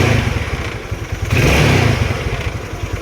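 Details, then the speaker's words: Yamaha Mio Sporty 115 scooter after replacing the fuel cock: starter noisy, but it idles with an even putter, picks up cleanly on a short rev and drops back to a stable idle; healthy. "Maingay lang yung starter nito pero yung minor niyan."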